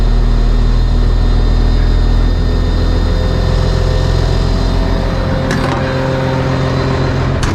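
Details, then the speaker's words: Engine after its starting issues were fixed, now turned over once then started: steady, even low rumble settling after startup with no knocks or misses; still puffs a little but runs smoothly. "Now lately all I've had to do is turn it over once like that to get things going and then hit it and it fires up."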